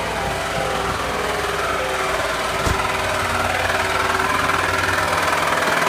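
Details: 2001 Ford Taurus SES V6 idling with a steady rapid tapping knock about four per second from low in the engine, oil pan area. Cause suspected, not confirmed.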